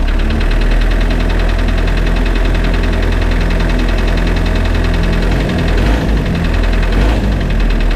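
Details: Spryte snowcat "Rusty" turbodiesel just after fitting new OEM Zexel fuel injectors and priming: steady, even diesel clatter, solid low thrum, no misses or surges; idles noticeably smoother, rock-solid idle after coming off acceleration.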